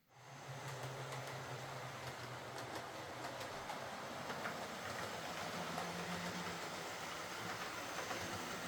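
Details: Model HST power car with high mileage and worn brushes, test-run after a full ring field service, bogie cleanup and replacement brushes: steady low motor hum with light, regular rail clicks, no scraping or stutter. Normal running.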